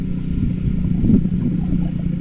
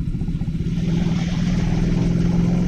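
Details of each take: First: Suzuki Satria F150 with a modified aftermarket exhaust: deep, loud, rough drone that swells as the throttle opens. The dented, loosely joined middle section also rattles from engine vibration, making it far too noisy for narrow alleys. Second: Suzuki Satria F150 exhaust after the middle pipe joint was welded permanently: quick, even single-cylinder putter rising slightly with throttle. The earlier vibrating buzz and rattle from the joint is gone; normal exhaust.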